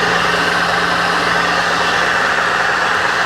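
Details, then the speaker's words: Mill left outside a year, rust cleaned and oiled, first run: constant motor hum with faint even whirring hiss; noise from one or two bearings in the drive motor, head nearly silent. "I don't know if you guys can hear that noise is just a bearing or a couple of bearings in the motor the motor is what makes all the noise up in here"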